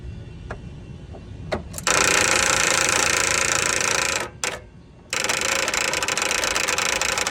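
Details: Toro TimeCutter mower: short clicks, then a harsh, rough cranking whir that stops and restarts unevenly; a bad starter motor.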